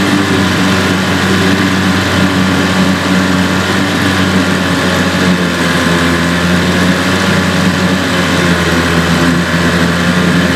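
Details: Evinrude/Johnson 15 HP outboard, steady engine drone with a constant whine on top; the whine is less bad since the drive shaft was swapped but persists, cause not yet found; a parts motor.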